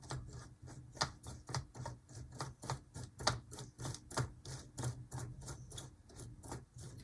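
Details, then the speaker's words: HO scale Athearn Blue Box B&O EMD F7A / ALCO PB-1 model locomotive after contact soldering: the motor hums with sharp repeating ticks and squeaks from the dry drive, treated with light oil. "can you hear that squeaking it's it's not the way I want it to sound"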